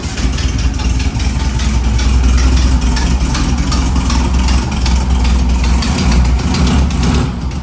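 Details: 1958 Karmann Ghia air-cooled flat-four after rebuild, running after valve/rocker clearance adjustment and swap to a rebuilt carburetor: steady low, even putter settling into smooth idle, no misses or knocks; normal idle.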